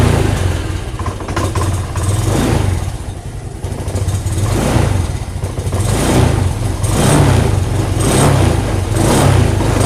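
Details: Honda Beat Deluxe scooter restarted after stalling in about 40 cm of floodwater (coil-to-plug wire suspected): steady low rumble swelling and falling as the throttle is blipped, pulling cleanly with no misfire or stumble.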